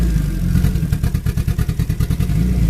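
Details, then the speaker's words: Turbo E85 B20 VTEC build with previously cracked, re-welded turbo manifold: rough, lumpy idle with uneven low thumping that stumbles, a misfire; owner suspects an injector, not confirmed. "Sure, that's what that was causing the misfire right there."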